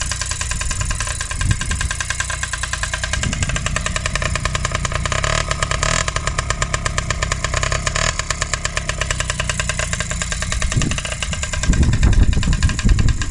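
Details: Restored Honda QR50 two-stroke running in the yard after rebuild, topped up with oil, little petrol: crisp, evenly spaced popping at steady idle with brief rev blips; runs cleanly, normal.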